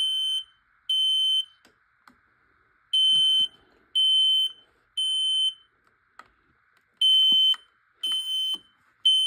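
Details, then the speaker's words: Detector in full alarm during a smoke and carbon monoxide alarm test: loud high-pitched beeps in groups of three, about half a second each, repeating with pauses. It went off just before the smoke test spray was applied; the cause is unconfirmed. "Well, I was about to spray it. The alarm went off. That was so silly."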